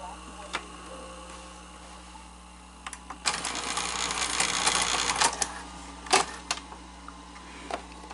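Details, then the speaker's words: Sanyo 4000 Beta VCR after new belts and idler tire: uneven mechanical clicks and a short whirring rattle from the transport during playback; servo problem or the tape suspected, fast forward also faulty. "you hear the sound too it doesn't sound right so um yeah it's got a problem"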